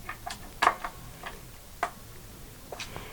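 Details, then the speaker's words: Partscaster with bolt-on neck, tuned up with neck bolts slackened a quarter turn: sharp, irregular creaks and clicks as string tension pulls the neck back into its pocket. Neck joint settling. "And you'll hear some creaking and clicking going from the neck joint. and then doom back up. And what we're what's happening here is that the tension of the strings is pulling the neck back into the pocket and getting it to the position that it's kind of most naturally fits in."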